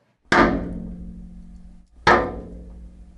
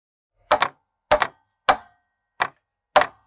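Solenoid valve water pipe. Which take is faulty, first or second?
first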